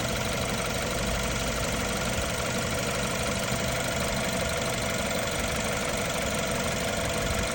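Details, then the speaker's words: 2015 BMW F30 320i xDrive, N20 twin-power turbo petrol engine, idling before timing chain replacement: faint quick metallic clicking from the timing chain, no check engine light. "It is not a big problem now. There is no check engine light. No nothing, but you can hear a little bit clicking noise and a little bit metallic noise."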